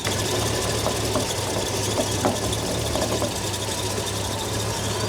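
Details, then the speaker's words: Holden VK Commodore Berlina barn find after its first start in 12 years: an uneven, lumpy idle with loose ticking clatter. The owner suspects a cylinder problem and is checking the air filter for a blockage; not confirmed. "she perves so it is idling a little rough so we're just going to take the air filter off and see if that has a blockage it's probably a cylinder but we'll check this just in case"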